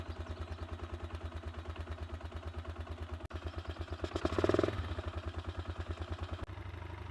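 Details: 1999 Honda XLR125R (JD09E engine) just fitted with a 150 cc kit, first start with half choke before break-in; single cylinder settles into a steady, even thumping idle with a brief throttle blip, running smoothly.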